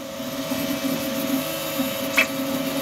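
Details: Two Trees SK1 3D printer, first print: steady stepper hum with a mid tone and a lower warbling note as the head darts quickly at high speed, vibrating the table; running normally.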